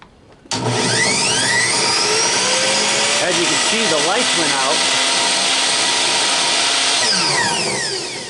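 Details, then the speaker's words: Miter saw powered by a Belttt 1000-watt pure sine wave inverter on three lead-acid starter batteries with solar charging: motor spins up with a wavering whine that sags and wobbles before settling as the inverter fans kick in; the saw struggles at the inverter's limit. "I also have a miter saw. Let's see, has a little struggling with this here."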